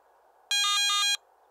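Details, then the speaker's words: Garrett ATX metal detector low-battery alarm: brief buzzy warbling tone over faint hiss, sounding every 60 seconds with flashing yellow LED when about 30 minutes of battery life remain; batteries should be replaced. "during operation the yellow low battery warning light will begin flashing when there's approximately 30 minutes of battery life remaining in addition to the flashing led a brief audio alarm will sound every 60 seconds"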